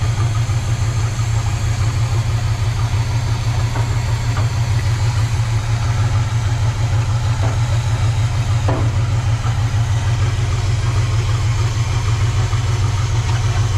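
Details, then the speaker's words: 1970 Chevy C30 V8 with rebuilt Quadrajet, warm at idle with thermostat open: constant airy sucking hiss as air is drawn through a gap from the too-tall, wrong air filter/cleaner assembly. "what's that air sound right here it's just this sucking in"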